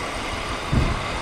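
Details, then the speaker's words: 2001 BMW E46 325i coupe, manual, stock engine bay with cooling system looking in good shape: even low idle with a smooth steady rumble, no knocks or ticks. Sounds quiet and tight, normal idle. "sounds quiet and tight normally"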